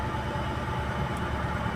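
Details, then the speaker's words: Maruti WagonR, company-fitted CNG and petrol, running on petrol at idle: rough, uneven idle with irregular stumble; misfires on petrol but fine on CNG, later traced to a broken injector wire. "इसी गाड़ी में जो basically problem हैना गाड़ी petrol में missing कर रही है सीजी में बिल्कुल परफेक्ट है"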